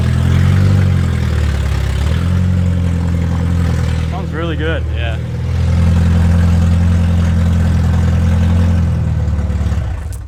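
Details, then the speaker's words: Car exhaust, owner thinks the header has snapped where it joins the exhaust: loud, raw, boomy note swelling as revs rise, far too open for a sealed system; exhaust leak. "fix my exhaust as you can hear it's pretty [ __ ] we're just going to have a look i think it's up where the header goes onto the exhaust that's snapped"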